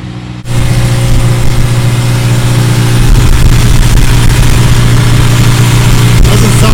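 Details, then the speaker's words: Engine with the first cylinder's injector suspected of leaking a fine mist: catches and settles into a steady even idle with no hiss or stumble; the hissing heard before is gone. "it's better to me i don't hear the hissing at all it was far from that injector"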